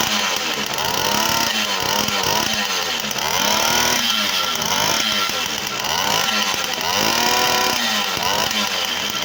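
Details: V50 two-stroke after full overhaul with a Dio piston: crisp buzz rising and falling with throttle blips, revs pick up cleanly and settle without misfire; engine runs perfectly.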